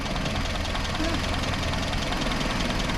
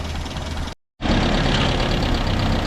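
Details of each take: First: Land Rover with a new starter motor and cleaned earth points, idling stone cold after start; ignition timing may need checking: busy, slightly clattery idle with an even beat and no skips. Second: Land Rover idling stone cold after a new starter motor and cleaned earth points: steady low idle with a loose, tinny rattle from the roof panel riding over it.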